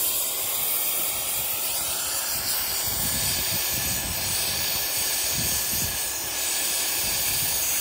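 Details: Gen 3 turbo LS drag car overheated on a test drive: loud steady high steam hiss, no engine beat beneath, from the hose that came off, spewing distilled water and Water Wetter coolant.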